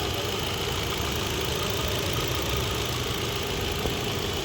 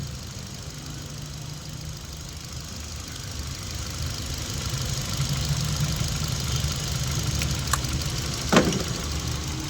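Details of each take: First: Hyundai i20 petrol with P0300 random misfire and cylinder 3 misfire code, jerking and check light: during diagnosis it idles steady and even, no stumbles or knocks, all four spark plugs getting current and sparking well. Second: Hyundai i20 petrol idling with check-engine light, P0300/cylinder 3 misfire, jerking; uneven, lumpy beat missing about twice a second with one injector socket unplugged. Running smooths when reconnected; ignition coil checked next.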